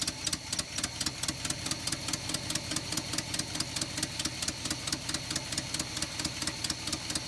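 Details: 1970 Chevrolet K10 4x4 V8, abandoned 26 years, compression test uneven (one cylinder about 50): sharp ticking exhaust pulses, uneven stumbling idle; dead cylinder or big misfire suspected, slightly improved.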